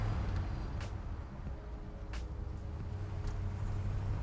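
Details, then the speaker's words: 1955 Ford Crown Victoria manual, clutch let out in first with no throttle, then pulling away in second: low, steady engine rumble with no shudder or chatter, smooth clutch take-up. "I just wanna pull the clutch out to show you that it doesn't chatter. So I'm letting it do its work by itself."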